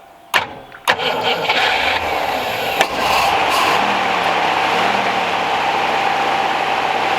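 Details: 1969 Rover P6 Series 1 3500 V8 automatic, after 16 years stored: starter turns briefly, engine catches and settles into a steady, even idle with a smooth exhaust note; starts and runs cleanly.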